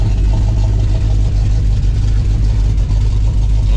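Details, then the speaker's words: Cammed Dodge Dakota R/T 5.9L Magnum V8 after cam swap, distributor and timing reset: deep, loping, choppy big-cam idle, steady and unbroken, running fine; known exhaust leak still to fix. "sounds pretty good right now as far as how she's running I do have an exhaust leak which we have to fix some point"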